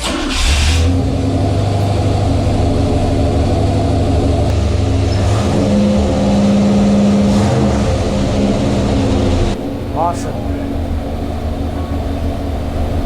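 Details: Chevy 350 small-block V8 on an engine dyno with water absorber, warming up before load test; deep, even rumble revving up and settling cleanly, steady firing, no knocks or misses; normal revving.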